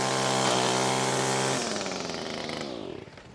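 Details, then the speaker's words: Echo SRM225 two-stroke trimmer with a sharpened line cutter, under load: a high, steady buzz holds pitch without stumbling, then eases off smoothly. The line is cut with no hesitation and the motor doesn't bog, so it runs normally. "this slices it off clean little pieces like that here'll cuts it right off no hesitation whatsoever"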